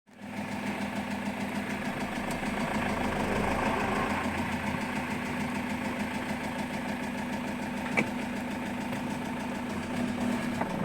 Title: Citroen Jumper 110kw Engine knocking 2